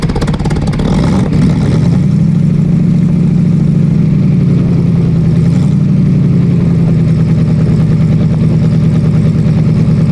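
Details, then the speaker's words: Rebuilt Olds 350 V8 in a Cadillac Seville, first start after faulty distributor replaced and wiring corrected: deep, steady rumble settling into an even idle after a brief rev, no knocks or misfires; normal running. "Man, was I thrilled and nervous at the same time. But now listen and enjoy the sound of my rebuilt Olds 350 V8."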